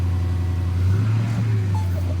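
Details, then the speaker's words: 2010 Dodge Challenger R/T Hemi, six-speed TR6060, 153,000 miles, oil-pressure code, only about a quart of oil drained: low rumbling V8 idle with heavy bottom-end knock and no oil pressure; rod knock, engine to be pulled. "it's got a horrible rod knock let's just try firing it up that's completely dry but this motor is being pulled anyhow"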